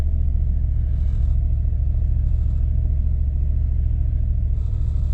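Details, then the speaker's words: 1998 Jeep Grand Cherokee ZJ 5.9 Limited V8, bad gas being diluted with fresh fuel: deep low rumble with an uneven loping beat that never settles; best it has run so far, then dies; rough running, bad fuel suspected. "Keep putting a little bit more gas in it, diluting that bad gas. This is the best it's done."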